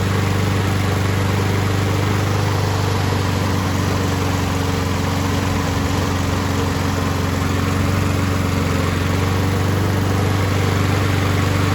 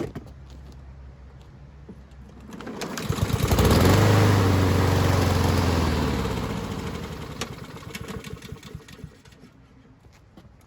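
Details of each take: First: Husqvarna push mower pulled from the trash, after carburetor jet cleaned of deposits and carb reinstalled: small single-cylinder runs on its own with steady, even rapid beat, no stumbling or surging; normal running, just needed carb work. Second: Husqvarna push mower pulled from the trash, old carb sprayed clean and reinstalled; engine fires and climbs to speed, then chugs lower and fades out when the self-propelled drive engages; stalls under load, fuel-starved from a clogged main carburetor jet.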